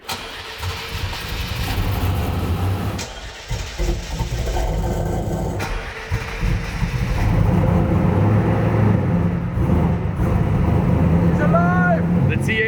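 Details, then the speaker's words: 1000 HP LS1 Trans Am, first start after fitting a new air-cooled turbocharger; oil topped up, oil pressure good, tune spot on, no load. Lumpy V8 settles into a steady, even idle with no knocks or misses; normal idle. "is running beautifully I topped up the oil because we lost a little oil pressure is perfect and the tune on this car is spot on it runs just absolutely perfect"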